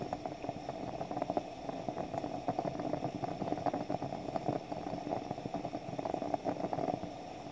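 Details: French stovetop espresso pot brewing on the stove as coffee visibly rises: irregular soft gurgles and spitting bubbles over a steady hiss. This is normal percolation; it ends with a final loud hiss or stops, depending on the model.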